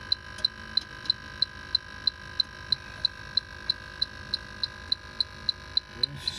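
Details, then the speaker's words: True refrigeration unit with iced-up coil and plugged condensate drain, electronic leak detector: sharp high beeps speed up to several per second over faint hum; refrigerant leak at evaporator coil on back side. "up there it is right there can you hear it speeding up there it is i knew it that is a leak and then you'll hear it slow down i got a leaky evaporator coil about on this side"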